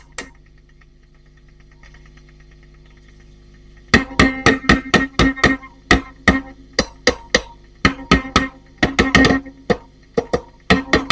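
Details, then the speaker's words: Valve amp with EF86, ECF82 and ECC83: each light tap on the ECF82 sets off a sharp, ringing metallic clang; the ECF82 is microphonic and needs a vintage replacement, as they are no longer made. "I think that's the problem, child. [Music] Yeah, that's the problem. The ECF [Music] 82."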